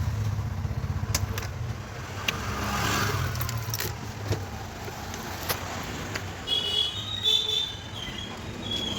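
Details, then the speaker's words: Bajaj BS6 CNG autorickshaw, 37,000 km, would not start on CNG; switched to petrol, it starts on one self-start and idles fairly evenly with no misfire. A blocked CNG injector can stop it starting on gas, and cleaning it would solve that. "பெட்ரோல்ல change பண்ணிருக்கேன் இப்ப பாருங்க ஒரே self தான் start ஆயிடுச்சு"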